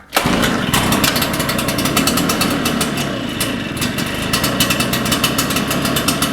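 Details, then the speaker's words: Shindaiwa EB802RT two-stroke backpack blower after repair for dying on acceleration: sharp buzzy note holds steady then picks up cleanly on throttle without bogging; acceleration problem solved. "it sounds like that solved our acceleration problem"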